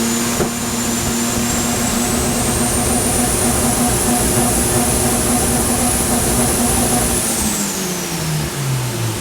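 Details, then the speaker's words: Mazda FD RX-7 single-turbo rotary on Haltech dyno, hot, after cam trigger signal noise fixed: smooth buzz climbing, holding and winding down, even note with no stumbles; running clean. "we got rid of it on the cam now. I think we're good. That was great."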